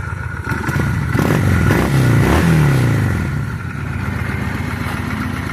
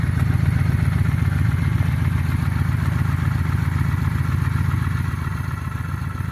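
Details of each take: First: 2000 Honda Shadow 600 V-twin, about 43,000 miles. Revs blip up and drop back with a rough, uneven pickup, hesitating as they climb. Carburetor suspected to need cleaning, not confirmed. Throttle hesitation on revving. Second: 2000 Honda Shadow 600 V-twin, about 43,000 miles, well kept, possibly due for carburetor cleaning: steady, even low thump at idle with no knocks or rattles; running smooth and healthy, normal idle.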